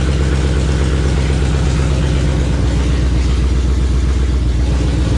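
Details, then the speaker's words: 1984 Fox-body Mustang with swapped Gen II Coyote V8 from a 2017 Mustang GT and 6R80 transmission, cold start: deep, steady V8 burble at fast cold idle, even firing, no knocks; normal cold-start idle. "But hey, Motor sounds great though."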